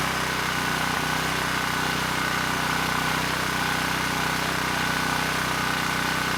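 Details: ETQ 2700 W brushless-powerhead generator after governor calibration: steady even drone, no hunting or surging; started slow, governor spring screw driven halfway in to reach 62 Hz, governor keeping speed where it should be.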